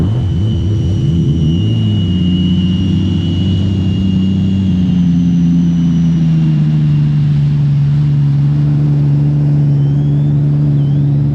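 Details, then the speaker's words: 2020 Sea-Doo RXT-X 300 stage 2 build alongside a stage 3 RXP, hot and full of gas, test running after build: steady even engine drone with smooth pitch changes as revs shift, no knocks, misses or rattles; running normally. "all right that one sounds like it's doing pretty good this one's also doing pretty well"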